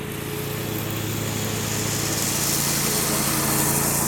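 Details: John Deere 345 with a Kawasaki FD611V V-twin, about 490 hours, revived after stage-one repairs and a fuel filter change, pulling the mower deck. Steady, even drone holds its pitch with no misses or knocks; smooth, normal running under load.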